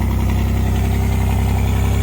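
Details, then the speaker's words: A Pontiac Fiero, after a long time not running, idles with deep, loud, raw, unmuffled exhaust pulses because the catalytic converter was removed, leaving it nearly straight pipe. There is a little oil burn. "It's kind of late and it is kind of loud because they took out the cat on it, so it's kind of straight pipe between the two exhausts."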